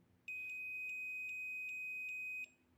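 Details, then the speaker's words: Multimeter set to continuity/diode (beep) mode with both test leads shorted to zero resistance: a clean, steady high-pitched beep of about two seconds, showing the meter is in working condition. "सुन सकते हैं कि beep की sound आ रही है, इसका मतलब हमारा multimeter working condition में है।"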